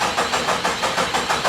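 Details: 1972 Jeep Commando with 2000 Cherokee 4.0 straight six swap, fuel now reaching the rail: steady even starter churning about six compressions a second, never catching; crank no start, no spark.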